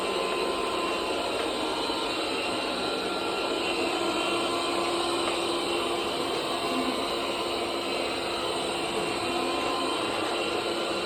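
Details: Bobsweep robot vacuum: constant loud harsh roar with a steady whine and no speed change; running far louder than it should.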